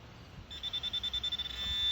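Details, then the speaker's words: High, thin buzzing tone from a Garrett Pro-Pointer AT pinpointer that pulses quickly, then settles into a steady whine in vibration-plus-sound alert mode. "you get vibration and sound so all pinpointers are a little bit different"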